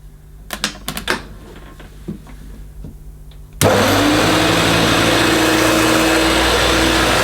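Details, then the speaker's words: 1971–74 Hoover Dial-A-Matic 1149 upright vacuum with new bag, carpet suction on max over a long-pile rug: clicks, then loud roar and whine that settles, running rough; owner thinks motor is okay and suspects the agitator. "i think the motor sounds okay i think the noise is probably coming from the agitator"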